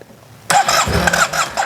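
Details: Yamaha TMAX scooter being restored, ignition reinstalled, gas added and primed: half a second of cranking gives a few ragged pops that die away. It fires briefly but won't catch; owner suspects it isn't getting fuel and notes a very dirty filter.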